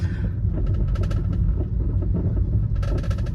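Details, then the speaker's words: Volkswagen Vento driving through potholes: hollow knocking "khatar khatar" clunks in short bursts over heavy road rumble, like a stone rattling, traced to the front shock absorbers; suspension issue. "और देखो गाड़ी ना थोड़ी सी गड्ढे में भी चल रही है, तो आपको उसकी आवाज़ आ रही होगी। सुन रहे हो खटर खटर की आवाज़?"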